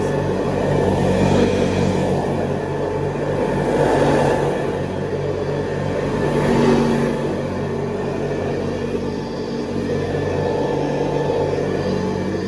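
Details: 1970s Hoover Convertible upright vacuum, recently rebuilt, re-lubricated and cleaned, with new bristle strips and a 12-blade metal fan, on high: a steady, even hum that swells smoothly as it is pushed, no rattles or scraping; normal.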